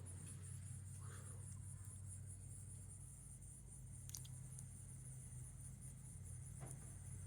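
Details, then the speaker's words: Heritage-made 42-inch Windsor and Browne Cambridge ceiling fan on low speed with a 4 µF capacitor, possibly a 131 motor. Slow start-up, then a faint steady hum with no ticking, scraping or wobble. Normal operation. "it's about an average low actually so it's whatever just the start up to it kind of slow"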